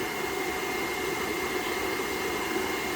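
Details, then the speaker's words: GX CS3 air compressor, about nine months old, after fixing a failing switch with a loose connection that caused breaker tripping: steady, even motor hum with a faint airy hiss, no knocking or stalling, no longer surging; normal running. "so it was definitely going bad that's working real good i don't hear the compressor was going up and down you could hear it drawing drawn amps and stuff and that loose connection"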